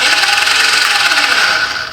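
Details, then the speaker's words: 1980s Suzuki GS450A automatic: high, steady whirring that winds down on release, with no engine cranking. The starter is freewheeling on a failed starter clutch; the plan is to swap in the parts bike's clutch. "that's all you get so the starter is just free willing around the star a clutch"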